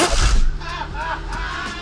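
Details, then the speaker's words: Nissan/Infiniti towed in for extremely loud noise when driving: heavy violent bangs under load then lower rumble as it moves; mechanics suspect something broken inside the transfer case, driveshaft not loose; driveline clunk. "I broke It's something inside that transfer case. I'm I'm with Brandon on that."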